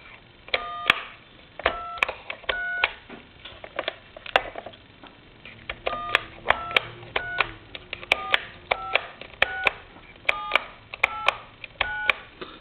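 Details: British telephone after conversion to touch-tone dialing: clean two-tone keypad beeps one at a time about every half second, each crisp and steady; touch-tone dialing works normally.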